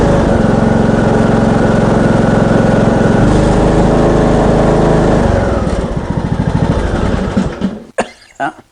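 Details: Craftsman ride-on mower, 21 hp Briggs & Stratton single-cylinder engine, blowing heavy smoke, oil topped up before test drive: runs fairly steady under load, then sags, slows and stalls after about seven seconds; blown head gasket.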